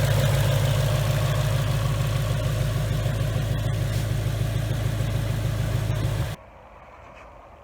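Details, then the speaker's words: 2019 Mustang GT V8, first start-up session on a newly built engine after a broken piston and melted catalytic converters, breaking in on BR30 oil: a deep, steady idle with an even beat and no knocks or misses, then a clean shutoff. "we've been working on the car for a little while just checking everything over and I just want you guys to listen to see how smooth this thing runs"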